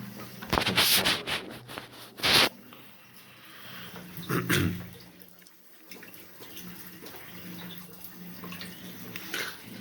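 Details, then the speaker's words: Electric water heater (Eldom Invest/Diplomat, about 80 liters) being drained for internal cleaning and seal maintenance; irregular gurgling and splashing as air is drawn in and water drains, with a small leak. Normal tank draining. "There is a little leak, but you can hear the system is taking air from here, and then it's draining this way."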